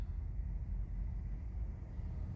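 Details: 2017 Honda Accord EX during an Autel AP200 injector-stop cylinder drop test, with cylinders restored: steady, even low idle rumble with no skips. All cylinders firing, normal idle.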